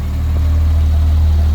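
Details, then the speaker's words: Rebuilt B58 in a Toyota Supra MKV A90 with a Pure 800 turbo, port injection adding 1000cc injectors (12 injectors instead of 6), flex fuel, about 700 whp. Deep, steady idle with an even rumble, possibly louder injector noise; healthy idle. "So see if you guys can hear it, but it might be a little louder than stock because we're running 12 injectors instead of 6 now."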